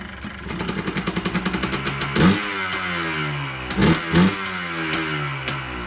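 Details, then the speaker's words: 2001 Yamaha Blaster two-stroke that had sat for years, carburetor main and pilot jets cleaned: a crisp idle with quick, clean throttle blips rising and falling smoothly. Normal revving. "so there you have it guys sounds pretty good to me so here she is running my 2001 yamaha blaster"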